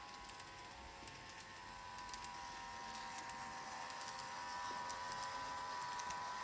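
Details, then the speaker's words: Kato 521 series model train motor: thin steady whine with fast, even ticking clatter about three or four per second. The noise is back, though oiling has cured it three times before; cause unclear, perhaps dry bearings. "There it is. It's back again. So, bearing in mind this has been oiled three times already and it cures it each time."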